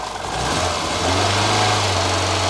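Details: Ford Fiesta XR2i barn find off the road 14 years, warming idle after earlier misfire cleared on its own: steady even idle, smooth low hum, no stumble or skipped beats; normal idle.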